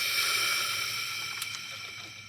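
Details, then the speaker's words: VW T5 Transporter 1.9 TDI AXB, new radiator, warm after 45–60 minutes running: sharp hiss of pressure released at the coolant header tank cap, then fading; system still over-pressurising, owner suspects head off needed, cause unconfirmed. "and that's it back up so so it's still pressurizing the system"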